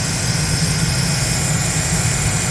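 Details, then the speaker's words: 2008 Chevy Silverado LT, 5.3L Vortec V8, idling after replacing the water pump, whose pulley bearings were shot and caused knocking and rattling; steady, smooth low rumble, no knock, no leaks, air bled from cooling system, heat working. "So we'll crank the Silverado up, let you hear that the noise has quit and that she is running. No leaks, we got heat. We got all the air out of the system. That's it cranked up. No more knocking."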